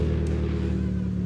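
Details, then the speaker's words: Audi A3 8P at cold start, intake temp 12°: low, lumpy idle with uneven drone and wavering beat; intake manifold runner flaps stuck open, sounds horrendous. "We do still have the issue of the intake manifold runner flaps being stuck open. As you can hear, it sounds absolutely horrendous."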